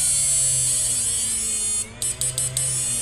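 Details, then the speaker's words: Samus 988M Plus ultrasonic PDC inverter after PWM driver modification, driving 1000 W load brightly in FF and normal modes, battery dropping: steady high whine over low hum, pitch sliding slightly as load comes on; normal running. "Suaranya enggak berisik tapi outpesnya kencang sekali ini, Mas Bro. beban 1000 watt menyala terang sekali."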